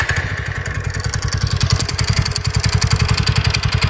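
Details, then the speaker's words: TVS Ntorq scooter at idle: light metallic tick three to four times a second over the engine beat, from a fully loose bolt near the magneto coil; bolt to be replaced with a new one. "बाकी जो इसमें आवाज थी दोस्तों वो थी इस bolt की। आप देख सकते हैं ये बिल्कुल लूज हो चुका है। तो ये आवाज जो आती है ये आती है इसकी इस टाइप की आती है ये कट कट।"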